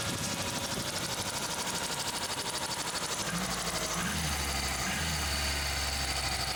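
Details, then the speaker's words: Suzuki Samurai just after replacing fuel pressure regulator (old one caused hard warm starts), first start; catches and settles into steady, even idle with smooth hum, sharper throttle response: normal start and idle. "wow it's much more aggressive on the throttle yeah yeah the throttle respons is much"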